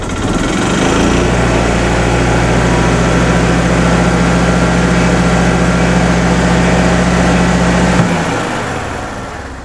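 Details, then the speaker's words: 2004 Club Car Precedent gas golf cart, crank-no-start, after governor adjustment: engine holds one steady high tone at full throttle for about eight seconds without surging, then winds down; governor set to the right spot; normal governed full speed. "we found the spot where it's supposed to be now we're not going to touch it"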